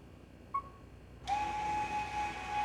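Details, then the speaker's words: VW Tiguan electronic parking brake after replacing both rear brakes, ignition on and diagnostic tool connected to close the calipers. A short click, then a steady, even electric whir from the caliper motor as it closes and adjusts normally. "you can hear it working now. Perfect, so adjusted now, and now we are good to go."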